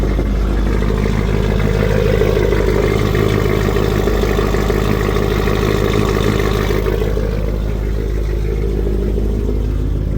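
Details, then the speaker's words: Cammed Ford F-150 V8 with MSD ignition coils, cold start with the tune's 30-second fast idle now coming down: steady, even lope at about three pulses a second with a deep exhaust beat and no stumbling; idles better, no longer erratic. "It's in the tune. It's gotta have, for some reason for the Fords, they gotta have a 30-second. If it's cold, it's gotta have a 30-second cold start. But definitely idling a lot better."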